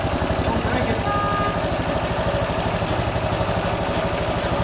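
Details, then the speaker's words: Harley motorcycle with split tanks, suspected lean, after the air cleaner was put back on; uneven idle pulsing about four beats a second with scattered pops, idle speed rose and backfiring lessened; backfiring at idle. "the idle speed went up why oh it's not backfiring as much"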